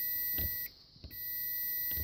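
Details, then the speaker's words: Mopar ignition switch tested with continuity tester in crank position: two clean steady high beeps about a second apart; crank circuit good. "crank is good number two position is good"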